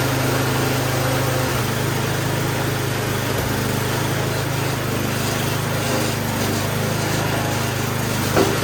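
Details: Snow blower small single-cylinder engine during service, after inspection and before testing drive and auger: steady, fast, even beat with no knocks, misses or surging; normal running.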